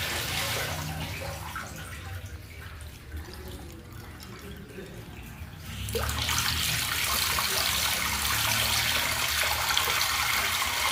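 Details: Noisy faucet on a 2000s Celite sink: water rushes with a steady hiss that turns harsher and louder midway; cause of the noise not yet clear.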